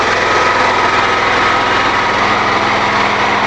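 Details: New generator engine on woodgas system producing 240V AC, running under load powering fuel processor: loud steady high-revving buzz at constant speed, no misses or knocks; running healthy.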